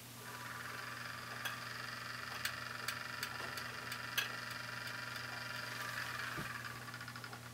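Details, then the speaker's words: AccuRite outdoor weather sensor, old fan with bad bearings: small fan whirs with rough gritty hiss and scattered ticks, quite noisy compared with the new replacement fan. "I'm going to show you the difference between the two fans, and you'll see what one sounds like with the bad bearings and what the one is supposed to sound like with the good bearings."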